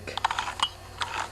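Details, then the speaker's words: Older 3.5–5 HP Tecumseh recoil pull start, removed from cowling: light ratcheting clicks as pulley is turned, rope never tightens; broken rewind spring inside the recoil. "now it definitely appears that the spring is broken inside the rewind as I mentioned because when I go to wind the Rope it just doesn't tighten and you can hear it"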